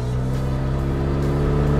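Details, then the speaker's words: BMW E39 523i road test after suspension repairs: a steady low engine hum that barely climbs when the throttle is pressed. The car doesn't want to go; poor throttle response and lack of power blamed on the engine, not the suspension. "The car just doesn't want to go. Naturally, this is not a question of the suspension, but of the motor."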